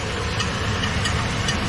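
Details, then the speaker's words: Chevy Silverado (2013 per the title, 2003 per the speech) with a customer complaint of a strange noise under the hood. At idle, light metallic ticks of about three per second come from underneath; it sounds like the flywheel hitting the starter. "that noise that sounds like the fly is hitting the starter that's a middle the middle hitting the stutter flye hitting the stutter"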